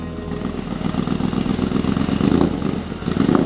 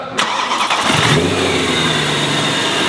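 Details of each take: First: Supercharged BMW E92 M3 V8, fresh from exhaust, rod bearing and engine mount work. It revs and drops back unevenly, surging and stumbling instead of settling; "doesn't sound healthy". Rough running, fault still being diagnosed. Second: BMW E92 M3 V8 with newly installed supercharger, first proper start after rod bearings, exhaust upgrade and engine mounts, no tune yet: cranks briefly, catches cleanly and settles into a smooth, even idle with no misfire or lumpiness; normal start and idle.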